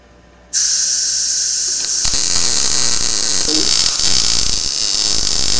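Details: Blue Demon BLUEARC 140MSI 110V 140A MIG inverter, synergic automatic voltage, shielding gas raised and wire speed increased, running a bead on very thin steel: even steady frying sizzle, no pops; welds nicely, no burn-through.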